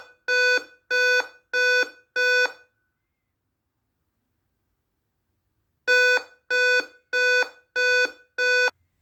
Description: The reason for this alarm is that the CMOS battery is dead, and its life span has expired, and once it is changed, the problem of this alarm will be solved.